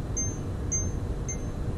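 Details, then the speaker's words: Slick gimbal powered on holding the up-arrow for gyro calibration: high short beeps repeat about twice a second as calibration keeps failing because the gimbal is being moved; must stay still, about 30 degrees ambient. "Là, donc la Slick est en train d'essayer de calibrer le gyroscope, mais ça ne fonctionne pas puisque je suis en train de bouger."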